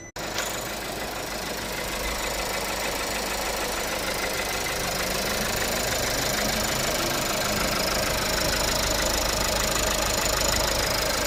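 Steady idle with a fast, fairly even light tick riding over the engine, about two per second; source of the tick undetermined.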